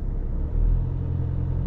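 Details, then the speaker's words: Learner car stationary, accelerator held at about 1,500 rpm for clutch control practice: smooth steady low drone, no knocks or rattles; normal sound when moving off. "so 1.5 yeah so that's normally what it sounds like when you're moving off isn't it"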